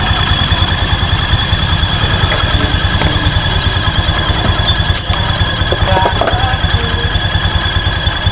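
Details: Honda Vario 150 scooter at idle: a steady high-pitched squeal over quick, even pulses, about two a second; spraying water on it did not stop the squeal, so the source is unconfirmed.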